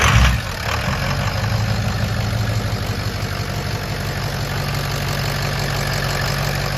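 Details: 6.0 Powerstroke diesel with rebuilt engine, idling: steady low idle with an even firing beat and no knocks or misses; running healthy.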